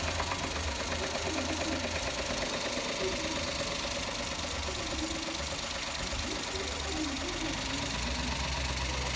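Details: Deep bottom-end knock persisting while revving and idling after adding Motor Up oil additive and idling about five minutes; uneven, loose knocking, additive failed, owner suspects worn bearings (metal), not confirmed.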